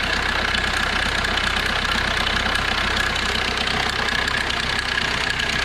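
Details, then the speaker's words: 2005 Kia Rio 1.5 CRDi diesel idling: constant metallic rattle and clatter, likely from a badly stretched timing chain; the chain, guides and seals are to be replaced. "el cliente me lo ha traído porque el motor suena raro tiene un ruido extraño"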